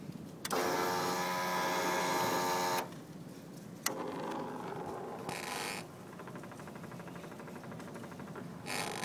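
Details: Hyosung GT250R EFI motorcycle just after engine shut-off: short electric whirring bursts starting and stopping like a small motor; owner unsure if normal.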